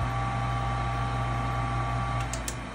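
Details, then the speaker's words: American Standard propane furnace with no heat: inducer motor gives a steady low hum for about three seconds, then winds down and shuts off right after start. "I'm going to turn it on and you guys see what it's doing. All right. The motor shut off right away."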